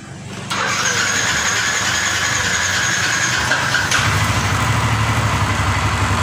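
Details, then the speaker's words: Yamaha NMAX hard to double-start on cold mornings, battery 12.3 V dropping to 12.1 V at key-on: after repair, brisk strong starter dynamo whir for about three seconds, then the engine catches and idles; cranking no longer sluggish, though a slight start delay remains. "Untuk putaran dinamo di sini sudah tidak lemot Pak, sud"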